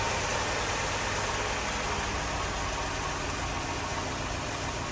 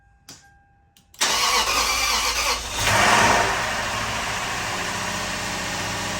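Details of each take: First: 2004 Lexus GX470 V8, first start after full reassembly, no coolant in it yet, radiator-fluid smell: even, steady idle around 700 rpm with no stumble or miss; normal idle. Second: 2004 Lexus GX470, first start after full teardown and retiming, no coolant yet, uneven compression readings; catches after a brief crank into a slightly uneven, rough idle; sounded a little funny, smoking, owner suspects old oil, some fuel leakage; rough running after start.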